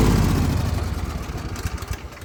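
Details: Zero-turn mower engine idling low with blades (PTO) engaged, after valve adjustment: uneven idle pulses and sags, losing power and bogging; both cylinders have spark, engine dies under drive load, cause not yet found.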